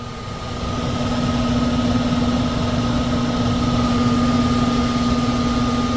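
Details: 1999 HVAC unit, about 25 years old, 3-ton: blower motor runs loud with a fixed-tone hum and coarse rumbling shake; options offered are replacing the capacitor, the blower motor and capacitor, or the whole unit.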